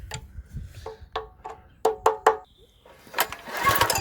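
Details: Wacker plate compactor neglected through poor maintenance, carb suspected not delivering fuel (plug came out dry): recoil pull gives a quick string of rasping compression puffs, then nothing catches; cranks but won't start.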